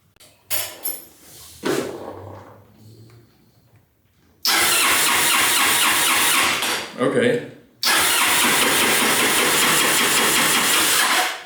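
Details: Honda Helix maxi-scooter, just bought, airbox-to-carb intake tube missing and a broken fuse found for the fuel, starter and charging circuit: two long bursts of steady starter cranking, about three seconds each, never firing; cranks but won't start.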